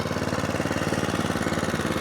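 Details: Atco Balmoral 20SK cylinder mower with Kawasaki engine: idling after full revs with a quick, even putter, steady beat and no misses or knocks. Normal clean idle.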